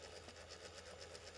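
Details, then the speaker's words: Brite-Source 120 W E40 LED corn lamp (96–230 V AC), one of two internal fans behind the LEDs failing: faint quick regular ticking, about eight clicks a second, fan running far too slowly; two control-gear capacitors overheated and popped. "there are two fans apparently there is this very noisy one you can hear just here and then there's the other one which is about halfway down and it sounds like the um fan"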